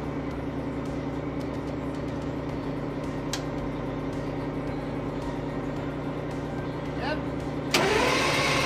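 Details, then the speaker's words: AVGP Husky armored vehicle diesel engine, fuel system now supplied: steady, even cranking at about three beats a second that never catches; several injectors found seized on the racks in no-fuel position. "we pulled the rocker covers and found out that couple of the injectors appear to be seized on the racks so they're stuck in a no fuel position so that's why it's not firing enough"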